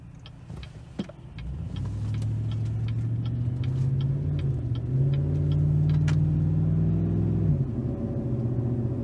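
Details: 2019 Chevrolet Silverado, about 4,000 miles after fitting a Range Technology DFM Disabler, doing a pull on the transmission. Low engine drone climbs smoothly under load, then drops cleanly at the upshift with no clunk or jerk; normal shifting.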